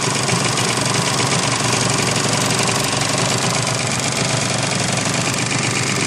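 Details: 750 SX two-stroke at idle: raspy note with fast uneven ticking puff riding over the exhaust, fits a leaking exhaust joint.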